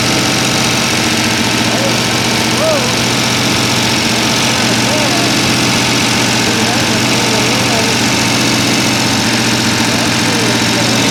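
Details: Freshly rebuilt, mostly stock Mopar 383 V8 on the stand with timing set and all lifters turning: a loud, even idle with a steady beat and no knocks, misses or rattles; running healthy.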